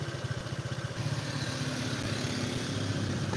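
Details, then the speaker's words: Honda Vario scooter after a spray-clean service: idle climbs and sags on its own instead of settling; hunting idle. "Jadi pertama kali bunyi agak meninggi nanti turun Sendiri nah ini turun lagi nih Nah ini naik lagi nih jadi naik turun naik turun naik turun enggak stabil nanti gede sendiri"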